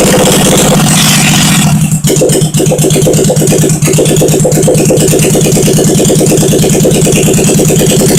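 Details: 1971 Honda SL350 twin, first start after engine rebuild, carbs primed, choke on, kick-started, no throttle fitted, temporary wiring to points; firing pulses settle into quick even beat after a couple of stumbles, catches and idles cleanly, normal running.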